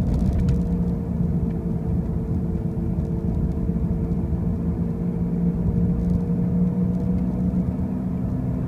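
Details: 2005 Pontiac Grand Prix with brand new wheel bearings and new tires: a constant droning hum over the road rumble while cruising, holding steady with no knocks; a loud noise while driving, origin unclear.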